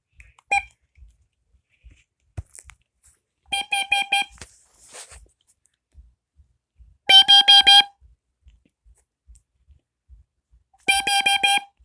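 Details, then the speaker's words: Lifesaver LS45700bz battery-operated carbon monoxide alarm made May 2006 on test: short bursts of four quick high-pitched beeps repeating every few seconds. Normal test beep. "right here is a lifesaver um battery operated carbon monoxide alarm let's get a test"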